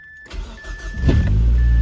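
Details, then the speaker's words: Car starts after starter problem fixed by cleaning corroded battery terminals and applying dielectric grease: brief crank, catches within a second, settles into a steady, even low rumble. Normal engine start. "Look at that. That's beautiful. Wonderful. Amazing. Runs."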